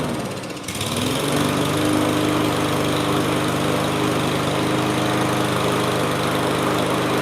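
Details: Mower after float, pin and carburetor parts replaced, airbox off: engine catches within a second and settles into a steady, even buzz with no hunting or misses; running properly.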